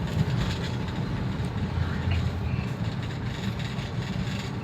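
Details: 2009 Toyota Avanza 1.3 after engine flush, previously sluggish with unstable rpm and rough running: steady, even low rumble driving in fifth gear with no surging or shudder; engine pulling smoothly and healthy.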